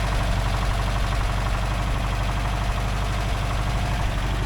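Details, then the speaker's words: 1982 VW Vanagon Westfalia air-cooled flat-four idling smoothly but high, about 1,000 rpm on a gauge instead of the expected 800; runs well after short drives, idle set too high, to be adjusted later. "It's idling a bit high. I put the RPM gauge on there. It's around 1,000. It should be down around 800."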